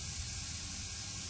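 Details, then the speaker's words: BMW E70 X5 air suspension, sagging/leaning, solenoid clip removed before air spring replacement: steady, even hiss of air escaping through a slowly loosened fitting as the car lowers; normal depressurizing. "okay you can hear the Air's coming out now I see the car's getting a bit lower let the air come"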